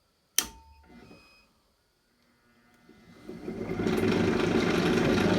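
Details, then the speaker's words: Drill press run through an inverter on a parallel battery bank at about 14.1 V, one battery bulged: switch clack, a short beep, then the motor hum builds slowly over two seconds. The inverter overloads as the motor struggles to start. "turns on. It did struggle a little bit. You can hear the inverter beeped. Um, but it did did turn it on."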